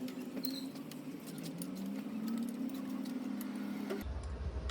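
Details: Hero Glamour motorcycle: light, quick ticking and rattle over a steady idle hum, like a worn, slack timing chain slapping in the cam drive; new timing chain then fitted; timing chain noise.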